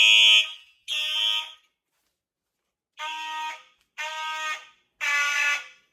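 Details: Simplex fire alarm system test with horn-strobes (Simplex 4903 series, True Alert, Wheelock MT, Gentex strobes) on one circuit: five uneven horn blasts, later ones raspy and thin with ragged tails; horn weak, starved by too many devices sharing the notification circuit.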